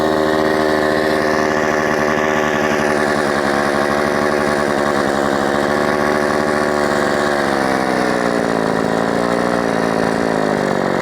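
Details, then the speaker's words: Modified Husqvarna 357XP chainsaw in a cut after reassembly with carb work: screams high and hunts, pitch wandering instead of holding steady; an air leak is suspected despite all-new parts, and fuel is being richened. Unconfirmed. "son of a I know you guys will say sounds like it's got an air [Music] leak and perhaps it [Music] does but it's all new"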